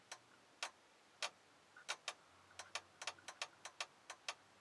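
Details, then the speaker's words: Ford F250 dome light problem: sharp, dry relay clicks in an uneven stutter as fuse number four is moved, a short at the fuse box socket pin making and breaking contact. "going on and off and you can actually hear the relay popping on off so inside the actual fuse box itself there's like a pin in there"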